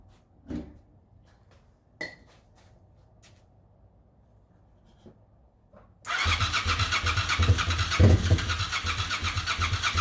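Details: 1998 Suzuki TL1000R motorcycle, sat 15 years after 2006 wreck, new battery, fuel pump priming: steady starter cranking with a few weak pops that never catch; spark present (carb cleaner in throttle bodies gave pops) but fuel injectors not squirting fuel.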